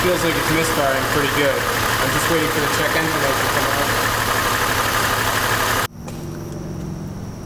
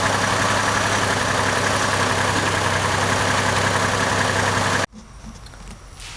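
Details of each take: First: 2002 Chevy Trailblazer at idle after codes were cleared: lumpy, uneven idle with a stumble about four times a second, a cylinder misfire. No check-engine light at idle; it appeared after running around 1,500 rpm. Fixed by replacing one part. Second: 2002 Chevy Trailblazer after replacing an ignition coil, likely failed from water intrusion after heavy rain: steady, even idle hum with no skips for about five seconds before cutting off. The misfire is fixed.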